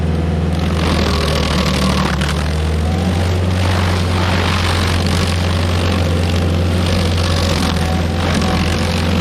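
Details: Stump grinder on its first job after a motor rebuild (new rings, clean piston), grinding a backyard willow stump; steady, deep constant-speed drone with no knocks, misses or surging, running great though leftover oil on the heat shield burned off.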